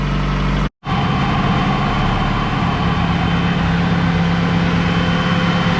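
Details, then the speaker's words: 1993 Honda Civic EG hatchback at idle after Skunk2 Alpha radiator and Spal electric fan install, heat on full while bleeding coolant; fan kicks on at 196°F, strong even rush of air, no rattle or whine; normal cooling fan operation. "this thing is blowing some air i love it moving down there i mean it's really pushing some air"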